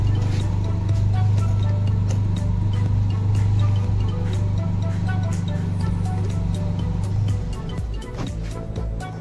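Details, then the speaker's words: Honda Civic VTi that would not start and backfired, after replacing camshaft and crankshaft sensors (computer box had been blamed): steady low even hum under background music, no misses, pops or backfire; normal idle. "pinalitan po natin ng sensor computer box daw po sira nito umaandar na po may Road p na rin"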